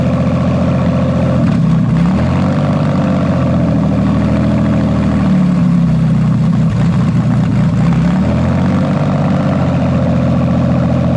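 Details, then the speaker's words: Toyota/Lexus JZ engine with MAF intake pipe moved a couple of millimetres down, creating unmetered air leak after the MAF: engine note sags and hunts for several seconds as rpm drops, then recovers to a steady drone. "okay so as you can see i've literally got to move it a couple of millimeters down the pipe like that you can see that the rpm is dropping and the whole engine node is changing"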